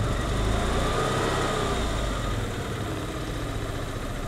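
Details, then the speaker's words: 1988 Saab 900 Turbo that sat for decades, just after a cold start: low, uneven idle rumble that loses strength partway through; rough running, owner suspects clogged fuel injectors, and it later idles fine. "oh now you now you want to start okay here's one of the problems when she first starts she runs terrible"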